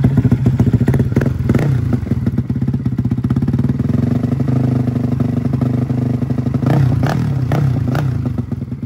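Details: Freshly built custom 300cc big-bore Honda Grom engine with stroker crank, CNC billet block and cylinder, first runs: loud uneven thumping idle that stumbles and pops as revs wander; rough running from untuned fuelling, still stalls when cold.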